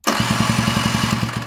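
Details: Scooter with a cheap replacement cylinder and piston after a seizure, spark confirmed, electric starter: quick, even pulses about nine a second with no firing or pickup before fading; cranks but won't start.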